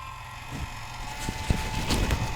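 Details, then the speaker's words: Culligan Gold Series 9 water softener with error 1H, cycled in regen: the drive motor whines and labors with uneven knocks, straining. It is being taken apart to lubricate with non-lithium grease. "and you can see how it's now spinning all the way around and you can hear that it's still straining listen to"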